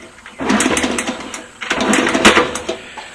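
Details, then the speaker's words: 1970 Honda CL70 kicked over with compression gauge fitted, oil-on-piston trick already tried: spins freely with light clatter, no compression thumps or firing; zero compression, owner suspects stuck intake valve. "so it has zero compression and to me it appears as if the intake valve is stock"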